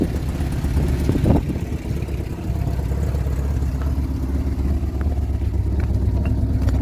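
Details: 1975 Vauxhall Viva HC, last on the road in 1991, first start after a rebuild with the carburettors worked on. A few rough seconds, then it settles into an even, clean idle while warming up.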